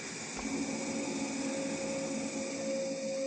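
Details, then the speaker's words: Shaffoteaux Pigma Green condensing gas boiler during cleaning. At ignition a steady high squeal rises over the burner roar and holds even; it is absent without the refitted air intake pipe, which is suspected as the cause. "От ви чули оцей писк? А без цього його нема. Може ми просто рішим всего лишь оцим патрубком."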